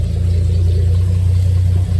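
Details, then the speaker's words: Ford Maverick (1970s) after valve cover refit, engine idling steadily with a low hum; no ticking or puffing at the manifold, exhaust now exits out the back and it is much quieter up front: leak sealed. "That is a lot quieter. Now, the exhaust sound's coming out the back, not out here. Wow, it's so much quieter up here."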